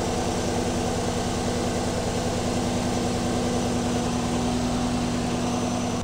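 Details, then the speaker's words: 2020 Chevrolet Silverado LTZ V8, almost 60,000 miles, after serpentine belt replacement (old belt squealed): engine starts and idles smoothly with a steady low burble, no squeal or chirp, normal idle. "let's go ahead and start the truck woohoo success buring like a kitten"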